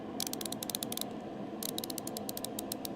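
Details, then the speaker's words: New hand ratchet swung back and forth: crisp, even bursts of fine clicks, pawl and gear engaging cleanly; normal ratchet click. "That click needs to be pleasing to the ears. I don't care what anybody says. That's a good click."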